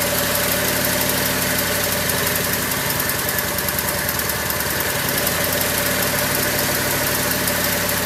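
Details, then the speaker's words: Craftsman lawn tractor small single, cold start after not running over a year, choked, battery charger on jump start: steady, even idle putter, no stalling or surging; healthy, though owner heard a sputter and suspects it may be running out of gas. "There it is. Idling pretty good. Yeah, I'm happy. This thing hasn't run in a long time."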